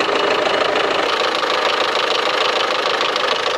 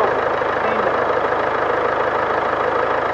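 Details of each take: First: 2016 Land Rover Discovery Sport, 2.0 Ingenium diesel, 101,407 km, morning cold start with engine warning light on, heard from front: quick even metallic ticking about three a second over diesel clatter; cause undetermined; engine ticking at cold idle. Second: 2016 Land Rover Discovery Sport 2.0 Ingenium diesel, about 101,400 km, brought in for a tapping noise and engine warning light, after an oil top-up and change (low oil suspected): even idle clatter, tapping gone; oil consumption, possibly turbo, still suspected.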